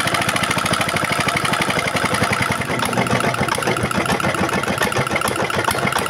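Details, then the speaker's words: Single-cylinder diesel that had throttle rising by itself and smoking despite new nozzle, now after repair: even steady idle thump, no high-pitched whistle or hunting, smoke gone; engine back to normal. "ठीक है, डीजल मित्रों, अंत में diesel engine वापस सामान्य हो गया है , ध्वनि से ही सही, अब कोई उच्च पिच नहीं है, फिर धुआं बिल्कुल खत्म हो गया है, और ध्वनि है पहले से अधिक स्थिर"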